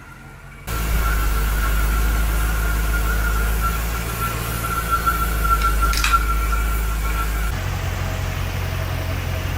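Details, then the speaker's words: Dodge Magnum SRT8 with swapped 6.1L Hemi, intake not yet installed: after surging with a vacuum line unplugged, it idles evenly like a sewing machine once reconnected, slight waver and faint high whistle; running smoothly. "but now it sounds like a sewing machine with that vacuum line on"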